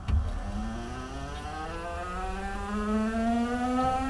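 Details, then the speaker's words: JCB 19C-1E 1.9-ton electric mini excavator starting a pull in hard material: clean motor tone climbing smoothly in pitch over about four seconds from softer idle rpm, no stumble or lag; healthy electric drive up to speed under load. "And it just now got up to speed like that's impressive. That's the power of electric motors over diesel motors."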